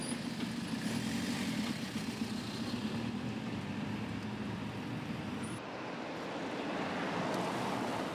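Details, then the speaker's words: 1953 Morris Minor two-door saloon converted to an electric motor, driving through London traffic: only steady tyre and road roar, with no motor whine or knocking. Normal running. "so it's just now you've got a little bit of tire noise and just the sound of a 1953 car bundling through london traffic"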